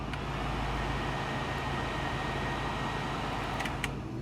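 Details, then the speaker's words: 1965 Ford Mustang AC blower running with a steady, even rush of air over a low hum, no rattle or squeal, blowing ice cold; normal AC blower operation. "so uh AC it blows ice"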